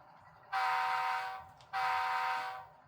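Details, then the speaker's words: Walthers Mainline GEVO ES44AC DCC sound locomotive on powered track: two thin, tinny horn blasts with no low end and little volume, at its loudest; the weak stock speaker lacks an enclosure and is to be replaced. "The horn should be the loudest, and I mean, you can hear it, but you can't hear much beyond that."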